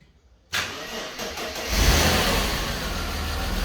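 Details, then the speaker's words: Mercedes W124 E320 convertible, M104 six-cylinder, after fuel pump was jolted with battery power: cranks briefly, catches at once and settles into a steady, even idle; starts healthy, fuel pump likely the fault. "yep works perfect so uh that was it i guess the fuel pump was dead"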